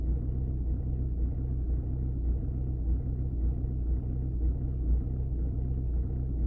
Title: Audi 2.0 tdi rough idle